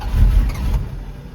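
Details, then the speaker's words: Carbureted engine started in cold weather with one accelerator pump shot and a tad of throttle: brief crank catches, runs rough and uneven, stumbles toward a stall; dislikes cold choke, owner suspects timing is off. "Yeah, it don't like this cold weather choke. Trying to crank it. Giving it just a tad bit of throttle. See if we can get it to clear out and running."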